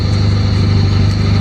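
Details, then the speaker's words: 1967 Volvo 1800S, cold engine just started with the choke pulled out and then pushed in a little, in neutral. Steady, even low hum with no misses or knocks; normal cold idle on choke. "I will pull the choke out, put it neutral, and then I'll pump the gas a few times. Push the choke in a little"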